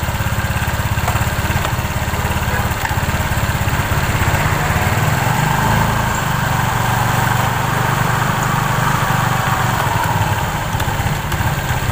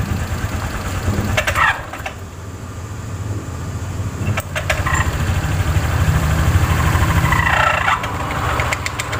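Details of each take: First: Scooter CVT after repair, with new original V-belt replacing a damaged one: even, steady low putter at idle with no rattle or clatter; normal CVT running. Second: Automatic scooter CVT at idle: rough clattering knock with gritty grinding, about three beats a second, from a damaged drive belt and failed rear pulley bearing caused by a worn roller housing.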